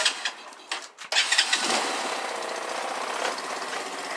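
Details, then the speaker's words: Grom clone single-cylinder 4-speed motorcycle, choke seemingly not working: a few clicks and cranks, then it starts right up into a fast, even buzzing idle with no stumbles; healthy start. "That's a 4-speed. Starts right up."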